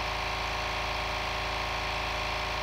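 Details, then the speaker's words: New 1 hp compressor, 8-gallon tank, first fill, tank around 105 psi: fast even pumping chatter at steady beat, no squeal or stumble; running healthy. "just over a hundred actually now 105 since filling up pretty quick for a one-horsepower into an 8 gallon tank"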